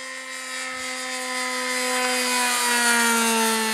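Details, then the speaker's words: Model aircraft glow engine in flight, now much quieter than before: a steady, even buzz that sinks slightly in pitch as the plane passes, with no rasp or blat. Normal running. "oh you threw it right in the carburetor didn't you yeah quieter yeah sounds quiet now was going said man that's a loud a much quieter"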